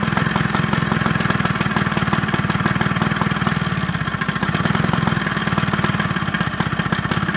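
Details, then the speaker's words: Job-lot mower, fuel tap found off and reopened, restarted on choke: fast buzzy beat that wavers and stumbles, running tired and not hovering; not getting enough fuel, so fuel tap adjustment and carburettor clean planned. "Bit tired. Carburetting he's doing, but it's running. Not hovering though, but it will do."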